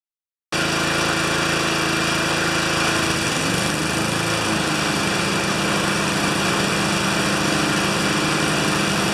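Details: Older Briggs mower that had an intermittent spark, missing more as it warmed; flywheel was removed for repair. Run at 3/4 throttle with a steady, even putter and no misses or stumbles over nine seconds. Runs clean and healthy.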